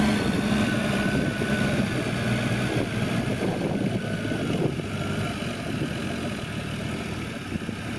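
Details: Toyota MK3 Supra with a rebuilt 7M-GTE turbo engine idling after its post-rebuild startup and timing reset. A steady, even drone with a smooth low rumble and no knocks or stumbles: a normal idle.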